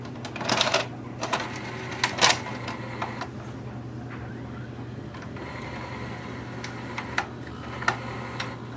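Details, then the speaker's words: Magnavox ZV450MW8 VHS/DVD combo after repair attempt, cycling fast forward, play, rewind, eject: irregular clicks and short rattling bursts over a steady hum from the tape transport; works but cause of noise unknown. "I don't like that noise I got to figure that one out anyways it's working I'm just going to see what that noise is"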